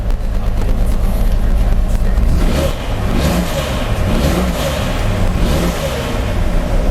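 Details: 2004 Jeep Grand Cherokee 4.0L, freshly rebuilt engine on its first start: a lumpy, stumbling note as it revs, shaking the whole car, though oil pressure is good. Several cylinders are misfiring.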